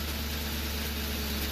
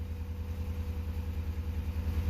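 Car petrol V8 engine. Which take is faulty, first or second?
second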